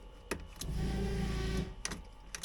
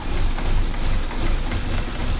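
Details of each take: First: 1979 Porsche 924 after fuel tank deep clean, key on: electric fuel pump buzzes in second-long runs with clicks between, a normal prime pressurising the fuel system before a leak check. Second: 1979 Porsche 924 just started cold after the fuel tank was deep-cleaned and reinstalled: it starts right up, but the beat stumbles and is uneven with wavering loudness, a rough idle on cold start.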